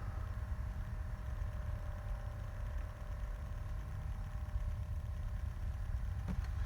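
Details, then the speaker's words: 12 V Danfoss/Secop BD fridge compressor in a camper, after switching its speed-control resistor so the current draw falls from about 7.4 A to 4 A: steady low hum, even tone, no knocks, audibly slowing to a lower speed and running smoothly. "so now we've actually shorted that resistor straight past it as if it's not in the line and here the compressor slowing down can you hear it slowing down and slowing down"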